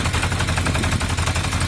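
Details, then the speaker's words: Used Yamaha motorcycle idling with a fast, dry metallic rattle over the engine beat that disappears when the clutch lever is pulled: clutch basket rattle, judged harmless and not worth fixing. "It has a bit of a clutch basket rattle. Listen to it disappear when I press the clutch."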